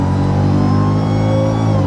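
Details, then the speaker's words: Mercedes SL55 AMG (M113K supercharged, nearly 200,000 miles) right after installing a double idler pulley assembly and tensioner pulley: floored from cruising up to 100 mph, strong engine roar with a thin supercharger whine on top, normal. "And you can hear that nice little whine. Nice little Mexico going 100 miles an hour, so not bad."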